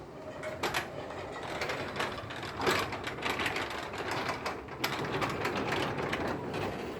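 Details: Garage door banging as it travels, sharp knocks from the #3 door section hitting the torsion spring centerpiece; door also tight and sticking on one side.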